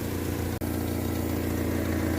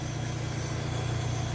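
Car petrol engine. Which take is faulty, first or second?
first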